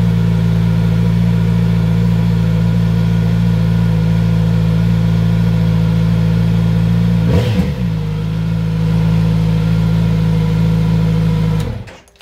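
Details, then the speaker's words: Kawasaki Z900RS at 1600 miles: steady, fast, even idle that dips briefly and recovers before switching off; idle higher than on many bikes, a known trait of this model; high cold-start idle. "so as you can hear it does take over um higher than a lot of bikes I've had and I know I've read a lot of people saying the same thing about this bike"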